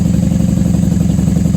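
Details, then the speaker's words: 1994 Honda Magna 750 VF750C V4 on choke after fuel line repair, running with the airbox removed and unbaffled factory pipes. Deep, loud, even pulsing at a slightly fast cold choke idle with no misses or knocks: normal cold idle. "I'm surprised she's running so well without the airbox on. Let her warm up till choke can be turned off."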